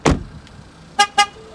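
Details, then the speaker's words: 2019 Ford Fusion Titanium: after the driver exits with the key fob, a thump and two short sharp horn chirps a fifth of a second apart warn that the car has lost detection of the fob. "is to let you know that is lost detection of the key fob"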